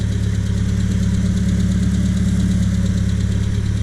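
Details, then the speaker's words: 1978 Triumph Spitfire, which stalls, pops and loses power when warmed up: the idle wavers and stumbles only when one corner of the Weber intake manifold is sprayed. This is a vacuum leak. "Not over here, not over there, only in this spot. That idle's definitely changing. There's a leak."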